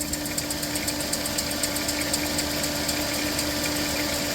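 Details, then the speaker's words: Minivan at 322,837 miles, just after a complete ignition tune-up, idling cold; regular ticking about four times a second over a steady hum; owner suspects the squeak is the wobbling water pump pulley, worn bearing near failure. "That water pump pulley is wobbling and I think she's getting closer to giving out here."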